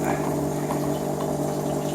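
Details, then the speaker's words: 2000 Chevrolet Silverado 1500 Z71 fuel pump, removed with tank and run on the bench: steady loud buzzing hum at fixed low pitch but not reaching 55 psi and little fuel delivered; failing pump, replaced. "There's the fuel pump. You can really hear it now. It's loud, but it's just not putting out."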